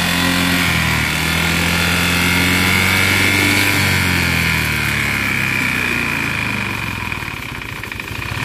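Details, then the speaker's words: Motorcycle after overheating at idle and light revs: steady rapid knocking about four per second, matching a previous mechanic's piston diagnosis; teardown confirmed the damaged piston. "Nah sampai di sini saya mengamini apa yang dibilang mekanik yang sebelumnya itu karena memang suaranya itu identik sekali dengan suara piston"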